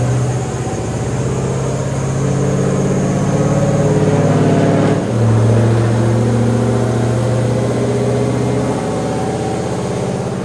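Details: Built, cammed WS6 V8 on the dyno after fresh plugs and a revised idle tune: lopey, loud idle with an uneven chop about three beats a second and a brief dip midway. Idle sounds better; normal cammed idle.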